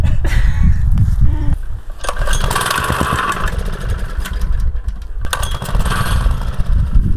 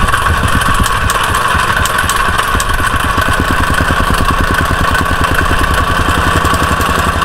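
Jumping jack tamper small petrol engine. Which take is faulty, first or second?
first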